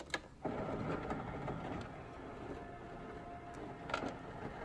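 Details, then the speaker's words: Refrigerator door ice dispenser set to crushed ice: quiet steady auger motor whir keeps turning but no ice comes out; chute jammed with compacted ice while the tray is full. "flipped it to crushed ice and we've got no ice coming out I can hear it turning in there but we've got nothing"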